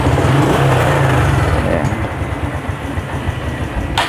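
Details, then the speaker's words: Honda Supra X 125 FI, one week after engine rebuild, thick exhaust smoke: low, pulsing idle sags as throttle closes and fades out within seconds; can't hold idle and stalls, compression seems to drop. "ya langsung mati di sini tidak bisa langsam atau stasionernya itu lama ya tapi langsung mati"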